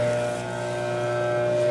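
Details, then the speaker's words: Scotsman UN324 ice machine just switched to clean mode: auger motor turning with a steady even hum, smooth constant pitch, no knocks or grinding, though reservoir shows no water activity yet; auger drive running normally. "you can i can see in here the auger motor turning and i don't see anything happening with my reservoir"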